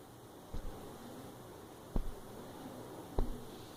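Three sharp, irregular rattly ticks about a second apart over a quiet background, a loose rattle near the phone's camera.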